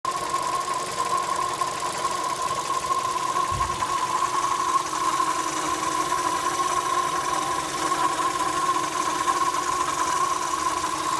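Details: Opel Astra J 1.4 A14XER: steady high whistle over an even idle drone, rpm-dependent, from the engine's left side, lower in pitch with the AC compressor on; owner suspects a belt rubbing a hollow part or fuel filter flow noise.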